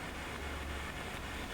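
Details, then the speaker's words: Fender Twin Reverb reissue valve amp, idle with no signal: a low rumble building up under hiss, the intermittent crackling fault the customer reported, which comes and goes with a sharp thump on the cabinet. "i'm starting to hear a bit of a rumble building up here a bit of a bit of a kind of noise do you hear that"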